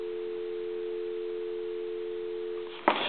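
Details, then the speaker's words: Gulf-logo gas pump telephone after repair, plugged into a regular phone line: steady, unbroken two-note hum for about three seconds before a click; normal dial tone. Before repair it went off-hook on its own. "I'll let you hear the pulses and then I'm going to hang up give you some dial tone and I'm going to hit the redial one more time"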